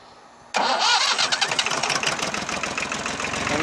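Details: Jinma small tractor diesel, revived after its cylinders were hydrolocked with rain water from a rotted exhaust pipe: brief crank, fires at once and settles into an even, steady diesel clatter. A clean start with normal running.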